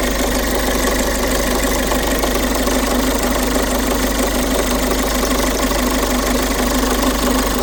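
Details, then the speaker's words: Peugeot 5008 1.5 HDi diesel at idle: fast, even metallic clatter from chain side, constant; cause confirmed stretched camshaft timing chain, stretched nearly a full link, affecting tensioner. "В общем, причина стука двигателя 1.5 HD на Peugeot 5008. Ну, одна из причин, равномерный такий звук, стукающий со стороны цепки. Всё-таки правильно оказалась цепочка."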